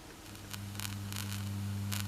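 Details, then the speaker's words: Experimental power supply from a cheap wall transformer with a single-2N3055 capacitance-multiplier hum suppressor (3300 µF at base), about 2-5 mV ripple, heard via signal tracer at high amplification: steady low hum with buzzy overtone, faint rustling; residual mains ripple, load-dependent. "I hope that you can hear the hum now. And the hum also, the hum, and I mean the ripple, the hum also depends on the load."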